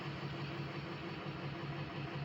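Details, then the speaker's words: Diesel project truck idling after all 8 glow plugs replaced: soft, uneven lope stumbling every few beats; code shows cylinder 3 misfire, struggling to build speed, injector suspected and to be buzz tested. "It seems like there's more than one cylinder missing because before this thing wouldn't have trouble building speed like the and now it is. It feels like there's more than one."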